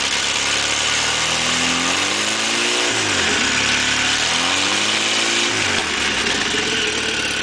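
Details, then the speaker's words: 1986 Toyota 22R carbureted four-cylinder, sat two days in cold and rain, belt-driving a water pump with open dual exhaust: catches quickly, blips up, settles into steady even idle without misses or knocks; normal idle (owner suspects head gasket, water in oil). "that's that's a great running little motor to just be sitting for two days in the cold and rain fired up for two minutes and shut it off and hit the key and she fires right back up"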